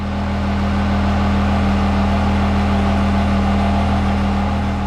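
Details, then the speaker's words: Same built truck revved lightly in the early morning after a makeshift fix to a broken shift selector cable clip: steady diesel drone with a low hum swelling gently, no knocks, rattles or bad sounds; normal revving. "So, we shut it down, but it was running. No, no bad sounds. Everything was good to go."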